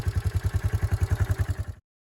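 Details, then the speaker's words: Yamaha Moto 4 ATV (1987 Moto 4 225, also called a supposed 1998 Moto 4 250) after the no-compression bent-valve repair. Warm after a short ride, it gives an even single-cylinder thump of about nine beats a second, a steady, clean, healthy idle, before shutting off. "It is warm, but you can still kind of see the idea, just kind of starting it up."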